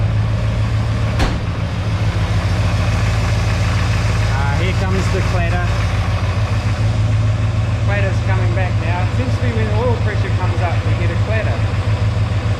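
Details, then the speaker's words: Warm idle of a mystery Chevy 350 small block V8 that runs erratically hot then cool: steady idle with a light clatter at about 3.5 beats per second; cause still unknown. "surely that was all that racket was not coming from the stter motor and the shimming of the starter motor and stuff but B warm up we'll find out"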